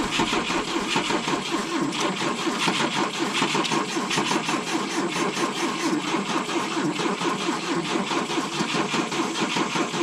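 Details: 1972 Volvo 145 on rigged fuel with vacuum ports plugged: long steady cranking with even starter chatter and no firing; hard start because plug wires were disconnected.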